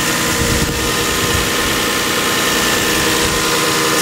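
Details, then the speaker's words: Lexus IS300 at idle after replacing valve seals, timing belt, cam seals, tensioner, water pump, plugs, coil packs, thermostat, radiator and condenser: a steady, even hum with no stumbles. It runs smoothly with no misfire. "running back together looking for a roll around the block think [ __ ] drives real nice drives mint you know it's that Lexus smoothness"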